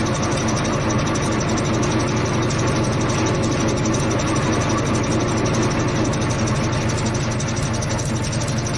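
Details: Repaired ten-cylinder diesel engine on a test run after fuel pump installation, at about 40–45 degrees and not fully warmed: steady, even drone with a smooth low rumble and no knocks or misses; running cleanly.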